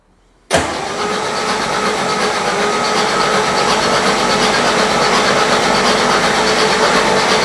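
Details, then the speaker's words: 1959 REO Gold Comet car hauler truck engine, first start attempt after refurbishing, spark plugs removed to build oil pressure, in neutral: starter spins engine fast and evenly, steady whirr with no compression pulses or firing; normal cranking without compression. "all right neutral first yeah all right and it's turning sounds good to"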